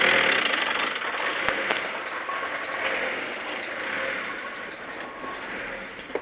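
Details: Volkswagen Transporter T4 with unstable idle, power loss and heavy white smoke: uneven idle rising and sagging over several seconds with irregular beat, caused by an air leak at the oil breather recirculation hose into the intake.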